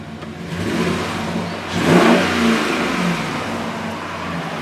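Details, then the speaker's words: 2009-2018 RAM 1500 5.7L HEMI V8 free-revved after a Rough Country cold air intake install: smooth revs climb and fall back cleanly to an even idle with no knocks, hesitation or whistles. The engine sounds healthy. "All right, sounds pretty good. It sounds pretty good. Yeah, sounds good. Looks good, sounds good."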